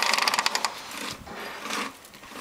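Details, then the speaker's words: Lawnmower wheel after service, turned backwards: quick crisp run of about eight even clicks as the pawl latches and engages again; normal wheel ratchet clicking from the one-way gear. "latches on here so i turn it backwards engage again that ratchets"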